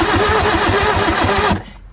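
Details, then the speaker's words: Bobcat 743 skid steer diesel: even cranking chugs, about six a second, for a second and a half, never catching; it won't start, and the owners suspect water in the cylinders and smell diesel. "She ain't hitting, Clay. No. We need to start fluid."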